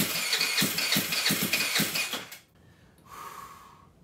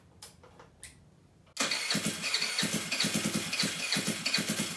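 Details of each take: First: GY6 139QMB Honda Ruckus clone freshly rebuilt with a 100cc big bore kit, not run for a long time: the electric starter spins it in quick even pulses without catching while fuel is still priming down to the carburetor bowl. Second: GY6 139QMB Honda Ruckus clone freshly rebuilt with a 100cc big bore kit: it fires and runs twice with sharp, rapid, raw popping. Loud but steady and running fine; an exhaust issue still has to be sorted out.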